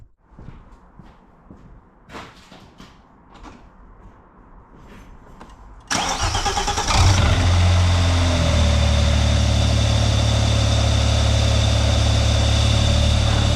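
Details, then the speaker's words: Vauxhall Omega estate 2.5 V6 after a new timing belt and water pump, coolant topped up: quick crank, clean catch and smooth steady idle with no ticking or belt noise, running nicely. "nice nice minute well that's running nicely"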